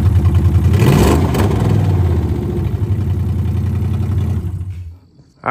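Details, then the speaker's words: 1UZ V8 swapped into a 2001 Lexus IS300, first start after final installation: runs lumpy and uneven, flares briefly, then dies due to a vacuum leak and unplugged mass air flow sensor; sounds much better once fixed. "guys we had a vacuum leak and we didn't have a mass air flow hooked up so let's try that"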